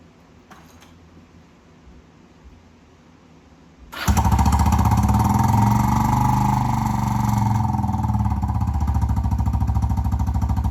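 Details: Kawasaki Prairie 300 ATV before the muffler swap, with a modded stock muffler that has its internals and spark arrestor removed. It fires up and revs with a harsh, buzzy rasp over rapid even pulses, loud and raspy.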